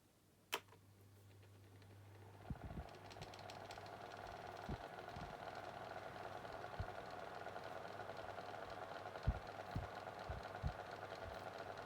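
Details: Late-1980s Micromark 9-inch retro fan after servicing, running on low speed: steady low motor hum with faint irregular light ticks and rattles; a slight rattle remains, though less than before.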